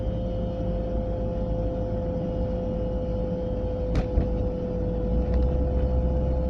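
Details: Volvo 940 at about 30 to 40 mph: steady mid-pitched whine over road rumble, coming from the passenger side; source not yet identified.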